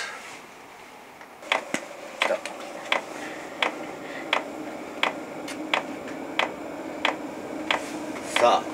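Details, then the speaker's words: Externally mounted FF diesel heater on a Bambino kei camper, test run before sound-deadening: sharp steady fuel pump ticking about every 0.7 seconds over a faint hum, likened to a wooden fish drum or heartbeat monitor; normal pump operation. "木曜叩き始めましたこれがあの近所のホテルアップ私は生存確認というなんすかねあの心電図の音みたいなもんですかねみたいなだいぶドキドキしてる感じ"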